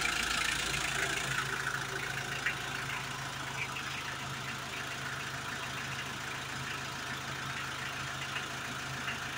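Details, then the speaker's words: Hyundai H100 with D4BB diesel engine, idling after a top overhaul done for a noisy engine and weak pulling: steady, even beat of about three and a half per second with no clatter or knock; the former loud knocking is gone; normal idle. "Ayan, ayos na. Wala na yung kalampagan yung ingay."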